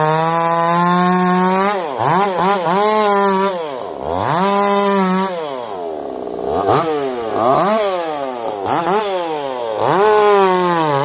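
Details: Echo CS-4910 chainsaw with taper-top piston/crank swap, test cuts: clean crisp revs sweeping through cuts, steady pitch, no stumble; owner feels zero vibration, smoother the harder it spools; runs a little warm, about 180 psi cold, 170 warm; normal running under load.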